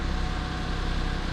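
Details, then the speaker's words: 1999 Mitsubishi Minicab kei truck just after oil change (3 quarts 5W-30, new K&N H1008 filter): small engine ticking over with quick even low pulse, steady level, idling smoothly; owner thinks it sounds happier with new oil. "that it sounds happier. I can't lie. Let that new oil circulate a little bit. Yeah, this is good. The engine definitely sounds happier with new oil."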